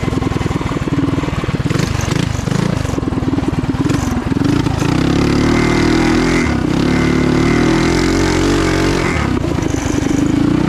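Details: Trail Master MB200 mini bike, stage 3 223cc single, open exhaust, after swapping rubber engine-cradle bushings for metal ones: revs up and pulls steadily under load with no chain slap or jump; before, the jackshaft cradle twisted and the chain skipped. Normal drive.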